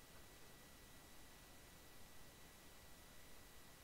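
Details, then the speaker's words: Microphone recording in OBS Studio with nobody speaking: constant quiet hiss, low rumbling hum and faint thin whine, levels still moving in silence; microphone noise floor buzz/hum, fixed with OBS audio filters. "you can see when I talk these levels go up but you can still hear that buzzing noise right now"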